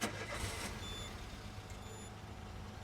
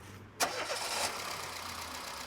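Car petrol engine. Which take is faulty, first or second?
first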